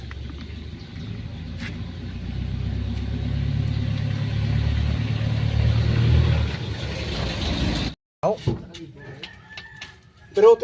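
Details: Mitsubishi Mirage G4 driving on the road: a low, steady hum builds under road noise from a worn rear wheel bearing.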